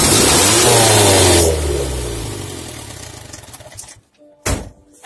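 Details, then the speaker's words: Morris Minor engine with the exhaust pipe removed during a carburetor conversion, briefly started and revved: harsh, open, very loud bark that then dies away; running with no exhaust fitted. "i wanna hear what this thing sounds like with no exhaust on it i just want to hear it just a little bit see how loud it is"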